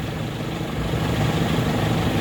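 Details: Differential after all bearings replaced to cure a howl, wheel spinning in 5th gear: steady low drivetrain hum with no howl or whine rising with speed; now quiet.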